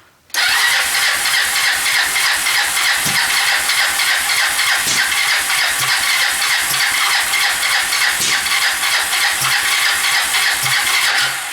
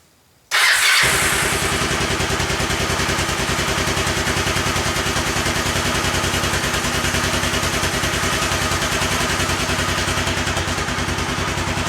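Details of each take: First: Kawasaki Lakota 300 first start after top end rebuild, in neutral, on choke; uneven lumpy ticking beat about three per second; sounds out of time, later found cam timing set 180 degrees out. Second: Kawasaki Lakota 300 after top-end rebuild, cam gear turned 180 degrees to correct timing: catches at once and settles into a steady, even single-cylinder idle with no popping, backfire or smoke; valves set well.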